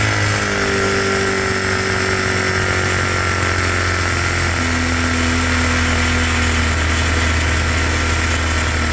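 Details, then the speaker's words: Cheap single-cylinder monkey bike after a new head gasket (still smokes) and carb mixture screw adjustment: loud steady putter at an even pitch with no stumbling or hunting. Mixture is now about right and needs only fine tweaking. "That seems to be pretty good, a little bit more fine tweaking, and I'll be able to get it pretty bang on."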